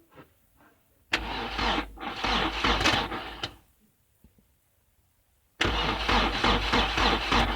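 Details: 2002 Mercedes Sprinter minibus, 2.2L common rail diesel, sat about a year after immobilizer issues, pressure regulator grounded fully closed: two bursts of steady cranking, never catches; no rail pressure build, fuel pressure sensor suspected faulty or out of calibration.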